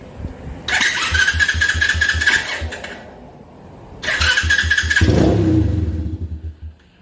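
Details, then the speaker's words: X-Pro 125cc pit bike single-cylinder just fitted with a Mikuni VM22 26mm clone carb replacing a PZ20: revs flare high in two bursts and hang, falling slowly instead of settling. Owner thinks the throttle cable was jammed; idle screw adjusted afterwards. "okay it didn't want to idle you know I think it was it was the throttle cable it was a little jammed in there for the first time"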